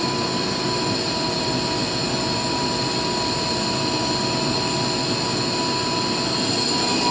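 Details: Used 2005 Boge 40 HP variable-speed-drive compressor, 480 V, 79,131 run hours, 1,909 loaded hours, at max rpm building pressure under air demand, about 68–70 dBA: steady even air rush with constant high tone, no knocks or rattles; normal full-speed running.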